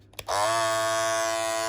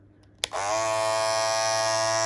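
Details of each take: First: Andis Masters cordless hair clipper starts up and settles into a steady, even buzz with no rattle or chatter; normal running. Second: Andis Masters cordless clipper, loud after a few months of use: it starts with a snap and settles into a loud high buzz and rattle. A worn part that pushes up on the bottom blade no longer supports it.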